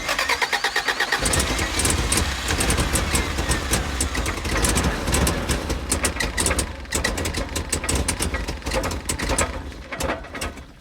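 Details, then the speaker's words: 1987 Toyota Hiace van, test start after new exhaust installed: cranks and catches, then runs ragged and sputtering, won't keep running on its own; recheck shows low compression again. "So not only was the exhaust leaking, Joey was no longer running on his own steam, and we haven't even moved him yet."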